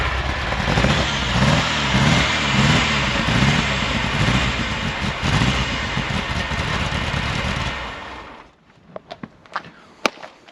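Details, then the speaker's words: Ferrari 308 GTSi after new ECU and injectors; engine catches and runs with an uneven, lumpy beat for several seconds then shuts off, cause still unknown: rough running. "It's starting again. We are back, but definitely doesn't sound right still, does it?"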